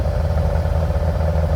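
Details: 1957 VW Oval ragtop flat-four on Weber carbs, distributor changed several times, while driving: lumpy, stumbling low-speed run with a clattery rhythm. Good fast, bad slow; owner suspects the coil or MSD.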